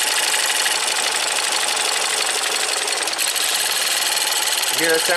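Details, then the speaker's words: Ford EcoBoost van at idle with intermittent P0106 MAP performance code and stalling; thin fast metallic bell-like ringing and ticking over idle hiss, suspected from the high-pressure GDI fuel pump area, not confirmed. "sound like a little bell is that normal let me get the scanner sounds a little ringy"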